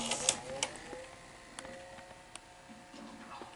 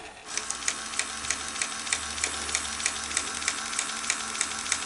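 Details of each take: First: Sony SL-HF360 Super Beta HiFi Betamax VCR after repair of trace damage, a dry joint and resistors: light, quick clicks and a soft whir as the tape threads and runs smoothly, with no grinding. The loading mechanism works properly. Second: Sony SL-HF360 Super Beta HiFi Betamax VCR loading a tape: steady fast ticking about three per second from the loading mechanism as it keeps running without finishing. The tape is stuck.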